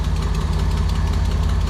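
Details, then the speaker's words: 1987 Nissan Pathfinder VG30 V6 after head gasket replacement, warm idle with a steady fast light tick over the low rumble on one side; owner unsure whether piston slap or exhaust leak, also has vacuum leak and timing needing work. "i don't know if that's time about slap or brutal exhaust leak or something but something doesn't sound very happy on this side"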